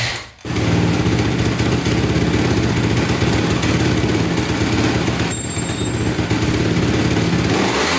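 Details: 2010 Honda CRF250R after valve shimming, started by kicking with primer out: single cylinder settles into a quick, even idle with steady thump and no misses; healthy idle, though still somewhat hard to start.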